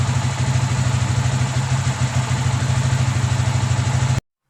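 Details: Yamaha Vixion single-cylinder idling after engine rebuild of cylinder block and piston damaged by late oil changes; had been very rough and noisy. Low, even thump about three beats a second, no tapping or rattle; healthy.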